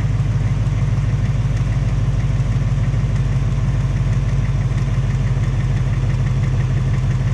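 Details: 2018 Ford Mustang GT on its second engine, only 1200 miles, steady V8 idle with a faint fast regular tapping about three per second; top-end or piston tick suspected, possibly piston slap or Coyote tick; Ford fitting a third short block.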